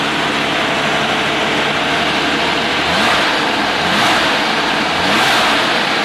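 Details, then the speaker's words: UltraVan #299 air-cooled engine after extensive rebuild (new 889 cam, reground crank, rebuilt 95HP heads), after cam break-in and oil change, lifters pumped up: loud busy idle set too high, rising and falling about once a second, surge of unclear cause. "now the idols still set kind of high on the thing so they're going to notice that it's running a little fast and little bit of a surge in it"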